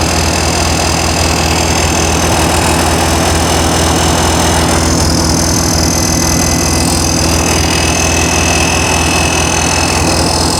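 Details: New 1600cc flat-four in a 1968 VW Karmann Ghia, first run during cam break-in after timing adjustment: steady, even fast idle with smooth, busy beat at raised revs, no knocks or misses; normal high idle.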